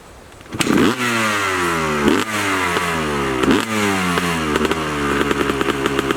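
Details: 2003 Honda CR250R two-stroke after a full top and bottom end rebuild, Lectron carburetor, Boyesen reed valve, Pro Circuit exhaust, cold start: crackly fire then sharp clean revs rising and falling with crisp response; healthy engine.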